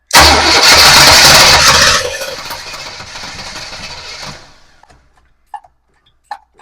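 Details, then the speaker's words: 1966 Pontiac Parisienne after fitting an Edelbrock 4-barrel carburetor and intake and an HEI distributor: loud, fast, even cranking that fades without catching, crank no start. Spark and timing checked OK, backfiring fireballs; owner suspects electrical fault, not fuel. "Oh, there's spark. It's right. Timing's right. But why is it not firing?"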